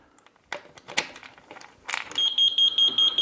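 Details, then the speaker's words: WET mobility scooter that wouldn't move and had no status light flashing: a few handling clicks, then a high-pitched warning beep repeating quickly, indicating the scooter is in manual freewheel mode; the brake is then heard clicking on when driving. "Right, audible beep telling us a problem slightly. Count the beeps, telling us We're in manual."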